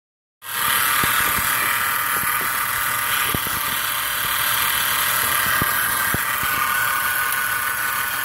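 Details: 2010 Chrysler Town & Country minivan, factory crate 3.8L engine with about 30,000 on it, noise came on suddenly: steady whirring hiss from belt area with irregular sharp ticks; accessory drive noise, owner suspects alternator or sticking pulley.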